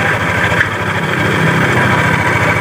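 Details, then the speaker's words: Yamaha Aerox scooter idling with the CVT case open at the primary pulley: very loud rough clatter and fast knock, likely from inside the engine, worn connecting rod and crankshaft bearings. "Lebih tepatnya di bagian puli primary sudah dibuka, ternyata suaranya berisik. Berisik parah. Ini kemungkinan kendalanya ada di bagian dalam sini ya."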